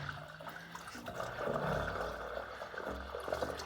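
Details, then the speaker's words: Spring-fed cabin water supply poly line after intake repair: irregular surging and gurgling as water returns with air pockets, trapped air being pushed through the supply line. "can hear it surging and gurgling in there"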